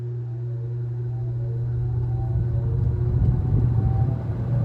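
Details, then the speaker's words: Kmart box fan with heavy metal blades, startup on medium speed: steady low motor hum with air rush building over a few seconds as blades come up to speed; normal startup. "And the spin down on this fan is also quite amazing. It spins down forever because it has the heavier metal blades. Alright, let's listen to a startup on the medium."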